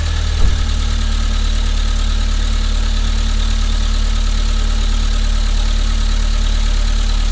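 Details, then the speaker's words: Car just fitted with a new coil pack, new plugs and secondhand leads and throttle body: steady, even low idle, no misfire, but check engine light on and lots of grey smoke. Suspected too rich. "let's try give it some ribs i think it's too rich"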